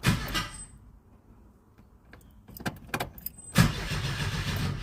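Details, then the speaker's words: 1977 Ford Escort Mk2, just collected: starter cranks the engine over in bursts, turns freely but never fires; oil light stays on, likely no fuel. "Yeah. Yeah. So, she's winding over."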